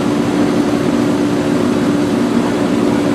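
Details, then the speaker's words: Rheem 2-ton outdoor AC condenser after repair (another bad capacitor): steady fan whoosh over an even low hum. It runs smoother and the compressor starts better than before, though the fan was reported not running at one point and may stall, causing freeze-ups. "it was definitely running but is running smoother than it did the compressor starts out better than it did that's for sure what do you think"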